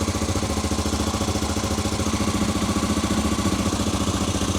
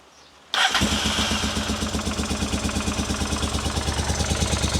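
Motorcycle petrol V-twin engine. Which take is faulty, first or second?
second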